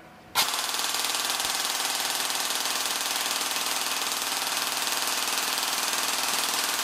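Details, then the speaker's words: Airsoft gearbox with an M120 spring fitted, run on the motor before the T238 brushless swap: sharp start, then a steady, even high-pitched whirring buzz with no stumbles. Pulls the stiff spring strongly, drawing about 16 A average and 27 A max. "all right that sounds tough um we'll uh observe the the current readings I think we've got a Max of 27 there look like an average of around 16 amps"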